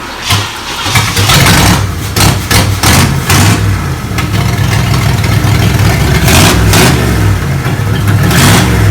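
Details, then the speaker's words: 1987 Monte Carlo SS abandoned 20+ years in Arizona, start: catches after a short crank, blips, then settles into a steady, slightly fast idle with an even low beat; runs fine. "test fire says it does idle so a little fast but that's okay"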